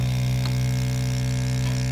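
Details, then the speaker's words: Mini 3D vacuum heat press, vacuum pump drawing down a sublimation mug mold before 190° heating for 360 seconds: steady low hum with constant pitch, no knocks or rattles; running normally. "you can see the cup is getting vacated"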